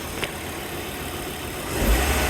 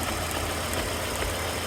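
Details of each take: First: 1998 Volvo V70 GLT AWD manual petrol engine at idle in neutral after repair; earlier had trouble starting, idling and revving and rattled badly. Now a steady, even low hum with no rattle, rising slightly partway: normal idle. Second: 1998 Volvo V70 GLT AWD manual, petrol, rough uneven misfiring idle; heavy engine oil leak, likely cam seal behind distributor, oil on distributor area explaining the missing and stuttering; owners had suspected fuel pressure.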